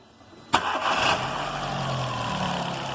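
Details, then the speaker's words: Car engine restarted with the accessory belt removed: sharp crank and catch, brief rev, then smooth even idle with no squeal or chirp; the noise stopped, so the engine itself has no problem and the crankshaft belt is suspected. "então pessoal vocês viu aí que o barulho parou então uma coisa tá livre o motor não tem problema dentro do motor não tem problema nenhum beleza"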